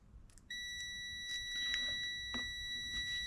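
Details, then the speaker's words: 2005.5 Audi A4 with a fuel door release that won't work: a steady high continuity beep on the green/gray wire reads 6 ohms. The wire between the comfort control module and the rear fuel door motor is intact, ruling out a wiring fault. "And again, it shows continuity at 6 ohms."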